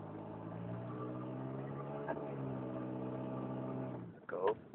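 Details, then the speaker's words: Car makes an annoying drone from the driver's side when pressing the gas and sometimes braking at about 20 mph, stopping if held: steady low drone with overtones while pulling away slowly, then cuts off sharply; owner wonders about the timing belt. "Coming from the driver's side, something like that, like when you push the gas, it makes a sound."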